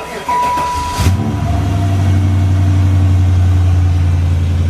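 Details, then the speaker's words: Impala with 47,000 miles after battery cable bolt change, bad AC compressor noted: engine fires and settles into a steady low drone with a faint constant whine; pump judged shot, exact pump unclear. "Hear that pump? This pump is shot."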